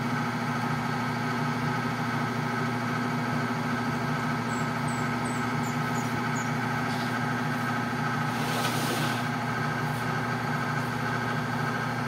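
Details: Whirlpool LSP 780GP washer, formerly noisy on spin and leaking water, after the drum bearing and oil seal were replaced: a steady, smooth spin hum with no grinding or rumble; quiet now, a normal spin.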